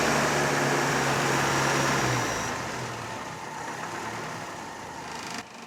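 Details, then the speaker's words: Series 3 Land Rover on a swapped-in original rebuilt Zenith carburettor: smooth, even idle, steady low beat, no misses or hunting; carburettor fuelling properly, throttle linkage still poor. "the throttle linkage is still hot garbage but the carburetor wow i haven't touched this and it's almost perfect so it's nice that it runs really well now"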